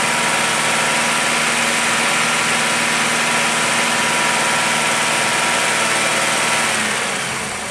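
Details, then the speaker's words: Car at raised rpm during an oxygen sensor test, running fine: O2 sensor switching between near 0 and 1 volt, short-term fuel trim near 0. The engine sounds smooth and even with no knocks or misses, then settles to idle; normal. "Now right now this car is actually running fine. The O2 is switching, and the short-term is keeping it pretty close to about 0."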